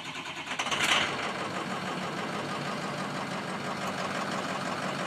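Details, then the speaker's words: Ford 6.0 Powerstroke diesel, runs rough when cold, about 70°F ambient, checked with IDS balance test showing cylinder five weak; fires with a burst, then uneven clattery lumpy idle; owner suspects sticking injectors. "And now we can see number five is really down, but there's a mode here on the IDS where we turn it on and it's not compensating for any weak cylinder."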